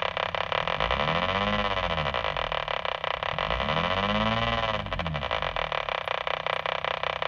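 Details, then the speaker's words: Mobile HF ham radio receiving WWV at 10 MHz on AM in an older vehicle with the engine running: a rapid, even ticking buzz that follows engine speed rides over the hiss. Ignition interference persists despite bonding and ground straps. "I'm going to give you an example of some ignition noise issues I still have ignition noise tends to be most noticeable on am"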